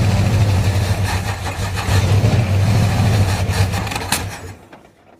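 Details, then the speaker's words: 1935 Ford truck, previously locked up and revived, carburetor and vacuum problems: low, uneven lumpy rumble that stumbles and fades, not running well; crew suspects a vacuum leak and carburetor trouble. "ain't try to backfire or something yeah not running the greatest"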